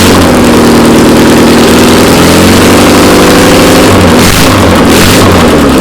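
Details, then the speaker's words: Classic VW Beetle flat-four that sat for two years, running on a start stand after priming with gas from a squirt bottle. Steady, even chuff with a brief rev blip and no misfires or knocking; the engine runs healthy. "Hey, it runs. Come check this out. This thing works awesome."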